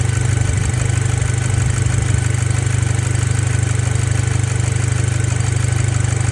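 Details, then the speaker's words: Audi B7 A4 2.0T FSI daily driver, after the high-pressure fuel pump cam follower was checked and found fine: steady, even low idle with no knock or tick; the earlier knock seemingly went away, normal idle. "and then I started it this morning and the knock seemingly went away. I'll show you guys now."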